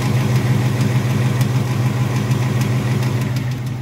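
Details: Ford with a 460 hp direct-injection motor, started after sitting two weeks: steady idle with a light, regular top-end tick about three per second over the low hum; engine ticking, cause unknown.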